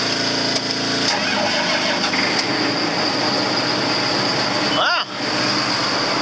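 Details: Tractor left sitting a long time in cold weather, block warmed about an hour by a 30-amp heater before the start: steady, even diesel clatter with no stumble, misfire or hunting; normal cold start.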